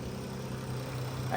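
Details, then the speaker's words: Dodge Caravan after repair of cylinder 3 misfire and white smoke: oxygen sensor and worn spark plugs replaced, intake manifold removed, MAP sensor cleaned; quiet, steady low idle hum with no shake, check engine light gone. "tahimik na ng makina at wala ng kakalog-kalog."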